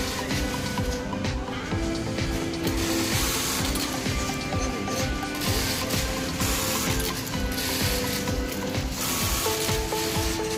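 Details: Brother 430D industrial button sewing machine after noise-reduction adjustment (thread-cutting setting, recentred in program), cycling with an even mechanical clatter and no gear buzz, over background music.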